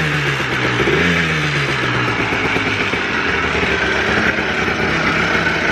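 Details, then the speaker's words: Two-stroke Blaster after the float bowl and float plunger were fixed and a missing throttle jumper was reconnected for the TORS issue. Crisp blips up once, then settles into an even, steady idle that holds without stumbling: running normally. "she was idling trying to get it to idle though i messed with a bunch of stuff"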